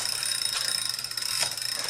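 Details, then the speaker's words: Bicycle chain that is dry and stretched too long, fitting the chainring poorly and running slack: fast fine ticking and light metallic chatter from the drivetrain, borderline squealy; chain due for replacement. "Another issue with this chain is that it's too long, it elongated too much, it stretched out too much, and it doesn't fit"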